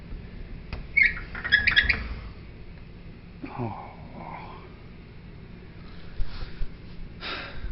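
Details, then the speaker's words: Sliding closet door rolling: high, scratchy squeaks and squeals rising and falling from the rollers in the track, before the fix. "our problem is this closet door which squeaks when I say squeaks enough squeaking for you now while that's annoying"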